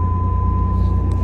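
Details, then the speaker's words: 1989 Pontiac Firebird V6 being restored, running a couple of minutes; low, steady hum with even pulse, no misses or knocks: normal idle. "Oh, it's running really, really smooth right now. Like really smooth. I don't want to speak too soon, though. Well, it's been running for a couple of minutes. No issues so far. It's actually running beautifully."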